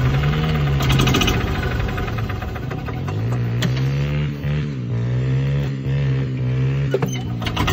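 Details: Club Car gas golf cart, carb cleaned, new plug, fuel system replaced and checked: single-cylinder engine chugs unevenly, speed repeatedly rising and sagging; runs fine sometimes, owner wonders about rev limiter; cause unconfirmed, problem persisting over a year.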